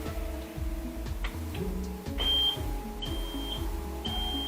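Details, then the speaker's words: Autosan H9 bus after a long layoff: high beep about once a second after power is switched on, before starting, warning that a setting is left open. "wyłączone i słychać zresztą te piszczenie to dlatego że jest to ustawienie z otwarte"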